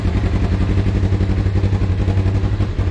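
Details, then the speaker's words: Freshly installed new motor, now with exhaust fitted, plus new wheel bearings and driveshaft U-joints; deep, even low exhaust pulse about four beats a second, holding steady with much calmer exhaust; engine light is on, cause unclear: normal idle. "is wild how much that exhaust calms that down"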